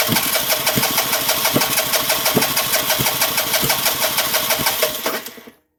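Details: 2009 Vespa LX150 no-start: steady starter churn with rhythmic compression pulses about three a second that never catch; sometimes coughs with a little gas; owner suspects dirty spark plug again, unconfirmed.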